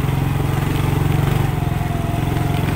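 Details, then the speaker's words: Manual-gear motorcycle climbing a steep hill in second gear: slow, heavy, deep thudding pulses under load and the engine won't rev up. Engine lugging in too high a gear, which strains and damages the bike; don't use second on climbs. "nah ini benar-benar simotok itu berat banget ya guys ya dan itu akan merusak si motornya Jadi kalian jangan pakai gigi 2"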